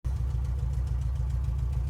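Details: Nissan Juke at idle, diagnosed with a full scan: a low, throbbing idle with some beats weaker than others. Engine misfire at idle.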